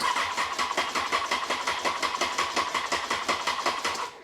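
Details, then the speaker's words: Honda CBR954 Fireblade after six-month rebuild including gearbox work, first start attempt: starter churns the engine slowly and laboriously, about three pulses a second, never catching; battery too weak, needs more charge. "right needs some extra juice don't it battery was s"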